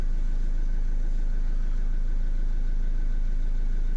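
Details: Renault Kangoo 1.5 dCi diesel after a bench-tested replacement for the dead injector: steady, even idle with a regular low beat, no knocking or misfire; engine healthy, repair finished.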